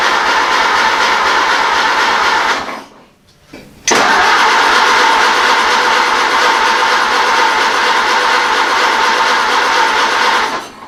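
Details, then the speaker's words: Ford AA Doodlebug engine, gravity-fed gas into the carburetor, choke pulled, a little throttle: steady cranking with some catching, a pause, more cranking, never running. Owner suspects carburetor issues. "wants to go we got carburetor issues now"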